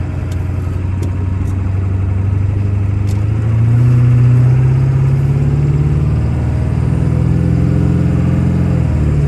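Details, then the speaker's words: 1997 Ford F-250 OBS 4x4, 7.3 Powerstroke diesel, 125k miles, automatic four-speed, driving uphill through all gears: deep, even diesel drone rises smoothly with shifts, no knocks or misfires; healthy pull. "we'll take off and head up the hill so we can hear the 7-3 run as well as put the automatic four-speed transmission through all the gears so you can hear for yourself how there's no issues with anything on this truck at all"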